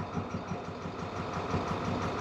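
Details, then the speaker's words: 2014 International MaxxForce diesel that won't exceed 20 mph with check-engine light and codes: rough idle with an uneven, stumbling beat during cylinder cut-out test showing no change; cylinder misfire, injectors suspected. "a mi experiencia hay falla de cilindro posibles causas puede ser la puede ser Los inyectores"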